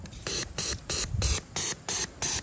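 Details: Bench test of old 42 lb fuel injectors for a Fox body Mustang, cleaned: sharp, even hissy spray bursts, about seven in under three seconds at a steady pace; normal injector firing.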